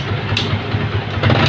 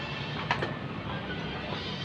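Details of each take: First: Yamaha Vixion motorcycle after fitting a cheap homemade anti-theft kill switch, switch set to allow starting: bike catches and settles into a steady, low, even thrum with a brief rev rise, running cleanly. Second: Yamaha Vixion motorcycle with a homemade anti-theft kill switch fitted, key on: starter whirs with even cranking pulses for about two seconds but the engine never catches, because the kill switch cuts the ignition.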